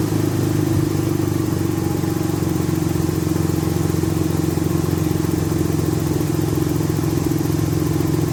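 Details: After Tiida alternator conversion, idling: smooth even low drone, no knocks, ticks or whine; battery light off, charging 13.4–13.5 V from 12.78 V battery; normal idle.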